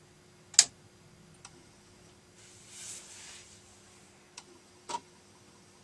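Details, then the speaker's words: Amiga 500 Plus floppy drive after repair, reading a disk after the computer was switched off and on, loading toward the cracktro: sharp isolated clicks a second or so apart over a quiet hum, head stepping; it sounds healthy and is loading normally. "Let's see whether that sounds a bit more healthy, doesn't it? And it seems to be loading."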